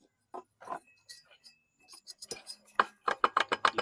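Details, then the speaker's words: 2009 Troy-Bilt XP mower engine (model 12AE189D011), no compression, oil around spark plug, turned by hand: sharp metallic clinks, knocking that sounds like a worn connecting rod bearing; suspected, not confirmed, engine not worth salvaging. "You can hear that knocking. It sounds like a connecting rod bearing. Definitely not worth salvaging."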